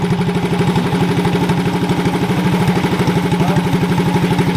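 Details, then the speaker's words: Shriners 1932 Ford Coupe replica go-kart with swapped-in 212cc Tillotson electric-start single, throttle cable unpinched: steady, even chuffing idle around three beats a second, no misses or knocks, healthy. "luckily we found that we popped it up and then it idled down so let's hear this puffy Roar"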